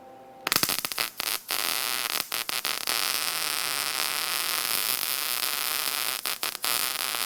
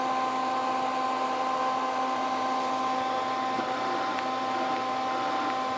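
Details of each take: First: Lincoln SP-135 Plus MIG welder after repair of an intermittently failing gas valve: steady even hiss of shielding gas flowing freely with a few clicks at start, where before nothing was heard; gas valve now opening normally. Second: Lincoln 135 Plus MIG welder with an intermittent gas valve: about 4.4–5 V DC reaches the valve when the trigger is pressed, but there is only a hum, no click and no gas hiss. The gas solenoid has failed and may need cleaning or replacement.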